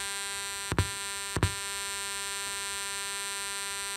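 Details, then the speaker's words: Early-generation Stanmore 1 speaker, 3.5 mm and RCA inputs, previous shop failed to fix it: steady electrical hum, then two sharp thumps about 0.6 s apart as it pops at power-up; cause not yet found. "Đấy, các bạn thấy chưa, nó cứ nổ bụp bụp bụp bụp."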